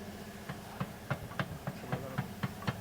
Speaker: Tu steering rack jalan tak rata, ada bunyi.